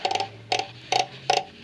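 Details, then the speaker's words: 1980s–90s Ford 3/4–1 ton truck, Sterling 10.25 axle rear drum brakes: crisp ratcheting clicks in small clusters as the star wheel adjuster is turned to push the shoes outward; normal adjuster clicking. "hear that clicking you see that down there i'm turning that now and what it's doing is it's pushing my shoes outward"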